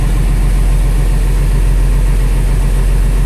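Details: International 4900 truck with DT466 diesel, idling after replacing the faulty air compressor pressure sensor; deep, steady rumble with no misses, knocks or hissing leak while building air, warning light off near 70 PSI: normal idle.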